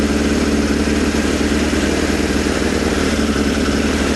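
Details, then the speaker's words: Suzuki Bandit 600 four-cylinder after carburettor work, running on a little choke and dislikes running without it: uneven, lumpy idle coughing and spluttering as one cylinder drops out; misfire, owner suspects one particular cylinder. "It doesn't like running without a choke, does it? So, it's a little bit of choke. But you can hear it coughing and spluttering again."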